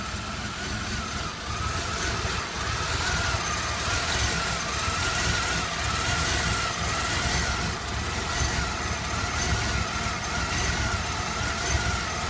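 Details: Chevy Blazer S10, hard to start: idle hunts and wavers with an irregular stumble about once a second; rough idle, cause unclear. Fuel pressure steady at 60–62 psi, almost chokes at full throttle, runs fine above 1300–1500 rpm.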